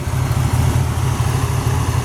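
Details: 1931 Ford 5W coupe hot rod, 289/302 Ford V8, C4 automatic, started instantly, cold not warmed up: deep even V8 burble at steady idle, no lifter ticking or tapping, no smoke; normal cold idle.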